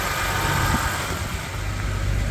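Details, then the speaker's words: BMW E90 325i automatic, a water-damaged non-runner, at a smooth, even idle with a steady low hum and no misfire or stumble after ECU replacement; the engine is running properly. "very nice very nice there's not even misfiring man"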